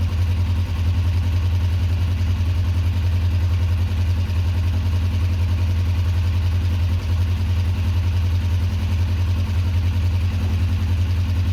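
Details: 2004 Kawasaki ER-5 twin, custom painted, after exhaust fitted and carbs worked on and bled: steady, even low burble at idle with no stumbles, dips or stalling; looks and sounds great, normal idle.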